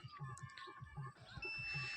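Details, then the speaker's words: Samsung A156E dead phone, board removed: multimeter gives steady high-pitched continuity beep testing a connector; whether it is shorted not yet confirmed. "तो देखिए यहां पर आप लोगों को beep की आवाज सुनाई दे रही होगी लेकिन यह शॉर्ट है या नहीं वह तो फाइनली चेक कर लेने के बाद ही पता चलेगा"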